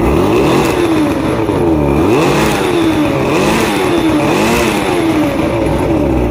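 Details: Two-stroke outboard, fully rebuilt with all-new electronics after three weeks chasing rough idle, surging and misfires: crisp buzz rising and falling cleanly with each throttle blip, no stumbles or misfires; running right.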